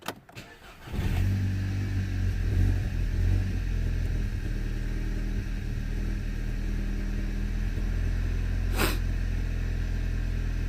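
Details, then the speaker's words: 2010 VW Golf GTI 2.0 petrol, battery stood about 5 days in very cold weather, suspected parasitic drain: brief crank then engine catches promptly and settles to steady even idle; started fine three times, normal cold start. "as you can see I've done it three times cuz the engine was just shutting down uh I've done it three times and three times it started absolutely fine with the battery that's been here standing for pretty much 5 days"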